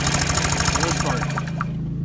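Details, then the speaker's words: Honda Metropolitan scooter with its original spark plug: quick, even cranking pulses, about seven a second, that stop without the engine ever catching. A no-start caused by a fouled spark plug. "that's an example of a foul sparkplug your engine will not start if you have a fouled sparkplug"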